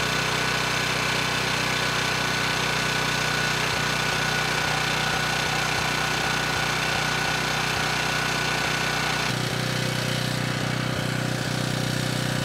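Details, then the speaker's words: Ridgid 5700 W generator (RD905712), Yamaha MZ300 engine, dump find with 1500 hours; started first pull on a cold day, warming up before load: even steady single-cylinder beat, no misses or hunting; normal running. "for something that was thrown away and has 1500 hours on it this thing's doing pretty good it started first pull engine sounds good and the power head seems to be doing a good job as well"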